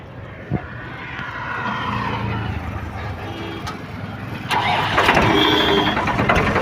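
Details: Diesel tractor at slow idle after setting fan belt tension, previously squealing from belt slip on water pump and alternator pulleys, worse with rpm: cranks and settles into a slow, even idle with no squeal left.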